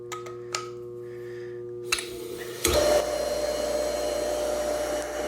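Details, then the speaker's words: Older Jacuzzi Del Sol hot tub pump with FL1 error, new capacitor fitted, motor warm: steady low electrical hum without spin-up until hand-spun, then rushing run; start capacitor or start switch inside pump suspected; motor hums but fails to start. "even with the new capacitor it still hums so i'm gonna take it apart"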